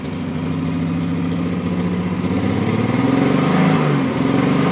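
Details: Triumph TR6 six-cylinder at idle and rising revs: lumpy, uneven idle with a stumbling beat that stays rough as the revs rise; one cylinder is misfiring.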